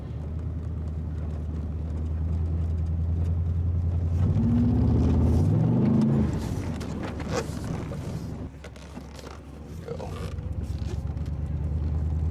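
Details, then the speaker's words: Chevrolet Silverado 8.1 Vortec 8100 V8, weak idle with falling rpm and backfiring: slow, choppy, stumbling acceleration with pops; misfire under load with little power, cause not yet found, intake manifold gaskets to be checked. "you can hear misfiring when you accelerate this acceleration is slow and not smooth and kind of just poppy"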